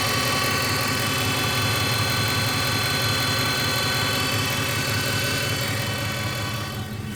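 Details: Ford F150 4x4, newly acquired, engine running: steady hum with a light regular click about three times a second; cause unknown.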